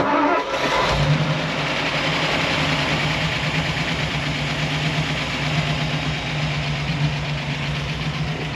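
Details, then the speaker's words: 1964 Ford F100, 292 Y-block V8, never fully warmed, after intake vacuum leak fixed and carb reset (mixture screws about 2¼ turns out, idle adjusted): catches then uneven loping idle with stumbles, heavy smoke from both sides; misfiring, motor judged hurt. "um it should sit here but this guys this motor's hurt we were running it sink smokes"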